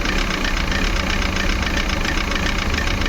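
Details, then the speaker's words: Maruti Suzuki Eeco petrol with company-fitted CNG at idle, ignition on, check engine light lit: uneven shaky idle, lumpy low pulse, clatter on top, whole engine vibrating; misfire traced to faulty MAP sensor, code P0108. "Ignition on रखा है, यहाँ पे check engine light आ रहा है और गाड़ी पूरी vibrate हो रही है।"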